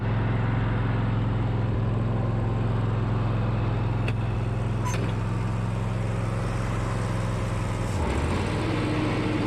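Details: Mower unused about six months, with new starter and battery: steady low engine drone, even beat, no misses or knocks; motor sounds healthy and smooth.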